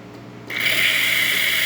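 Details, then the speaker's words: Espresso machine after shop service, steam/milk-frothing test with water (customer reported steamer not working): quiet room, then steady high-pitched pump hum kicks on and holds as water is routed to the thermal block; normal pump operation. "And what you're going to hear is you're going to hear the pump kick on, and then it's going to start routing water into your thermal block."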